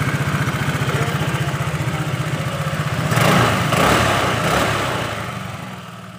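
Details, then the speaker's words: Honda Vario 110 carburetted scooter after repair of misfiring (brebet) at high revs, filter and parts reassembled: even idle putter and clean throttle blips without bucking; engine normal again, pickup more responsive. "nah kalian bisa dengarkan suara motornya sudah normal kembali ke tarikannya juga lebih responsif guys"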